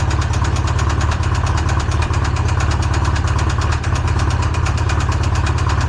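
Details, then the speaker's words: Polaris RZR freshly built engine that had locked up (rod bearings suspected seized), freed and run on Lucas oil, warm with decent oil pressure: steady idle with a hard repeating knock near three per second; failed rod bearing, Lucas not fixing it. "Can Lucas save your motor? It's already knocking. There's something wrong."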